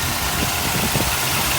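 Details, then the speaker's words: Mercedes 380SL at idle the day after a freon recharge, AC off, then switched on and the compressor engaging: even, settled idle with a steady low rumble and no knocks, misses or squeals; the engine is running healthy. "sounds good right now AC is off down there is let's see see if we can hear this economy fan blowing now I want to hear a click and the air conditioning compressor is on"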